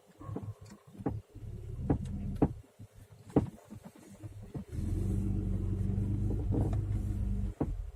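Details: Mitsubishi Legnum suspension knocking and squeaking while driving slowly: dull irregular clunks about every second. Straight arms are new, upper arms are used; no stabilizer fitted. Owner asks whether the curved-arm ball joints could be the cause.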